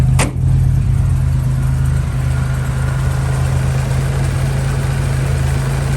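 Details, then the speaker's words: Deep, even, smooth idle with steady low rumble and no misses or knocks from the 225 engine in a 1968 Jeep Commando, started in neutral; very smooth-running healthy idle. "One of the smoothest running 225s that I've actually had."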